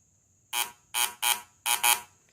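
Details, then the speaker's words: VW Fusca (Beetle) with rough, oscillating idle and misfire: continuity buzzer tested from inside distributor cap pin to the outside spark plug wire outlet gives five full, clean beeps with no dropouts; this cap pin conducts properly, water only at the bottom. "Eu coloco aqui no pino do lado de dentro e eu vou fazer aqui, espetar pelo lado de fora, que seria a saída do cabo de vela. E ele dá um som bem cheio, tá?"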